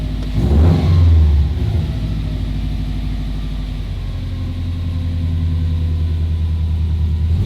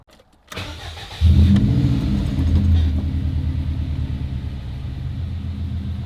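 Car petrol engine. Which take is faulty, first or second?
first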